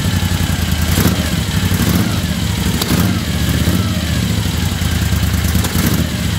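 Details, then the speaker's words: 1975 Moto Guzzi twin, cold start at about 40°F with choke on: steady low lumpy idle, even firing, light top-end clatter, no misses; normal cold idle. "It's about 40 degrees out here, so chokes on."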